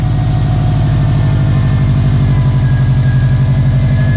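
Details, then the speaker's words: 2015 Subaru STI idling just after ETS front-mount intercooler install: steady, even turbo idle with a soft rhythmic pulse and faint audible intake suck; normal idle. "You can even you can see it right there. You can hear it sucking in air."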